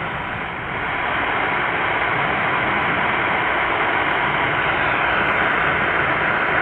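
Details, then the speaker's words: Hash-free supercharged Qodosen SR-286 radio on AM 520 kHz with whip antenna, volume nearly maxed: even hiss with no buzz or whine from the digital display; clean empty-channel static. "I've got the volume practically maxed out on this I don't hear any digital hash noise on this"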